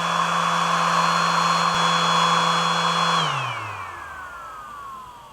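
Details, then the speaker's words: iSDT FD-100 lithium battery discharger, pack near 3.8 V/cell storage voltage: cooling fan kicks in with a steady high whir at one pitch, then shuts off on temperature and spins down; normal fan, discharging continues. "Okay, the fan is kicked in, you can hear it. So it gives you an idea of how loud it is with the fan on."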